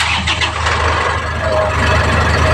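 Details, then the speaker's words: Isuzu 4JH1 Euro4 diesel after repair for a problem of stalling. It catches on the first crank and settles straight into a steady, even idle; it starts cleanly. "one click na siya"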